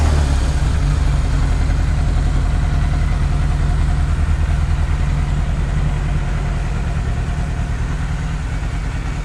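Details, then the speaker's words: 1998 Yamaha YZF600R Thundercat, first start after transmission rebuild, rear wheel off the ground: low throbbing idle pulsing unevenly; runs rough, carburetion needs adjusting, otherwise revs up, no oil burning. "now it does run rough i'm gonna have to adjust that but runs sounds healthy revs up doesn't burn any oil"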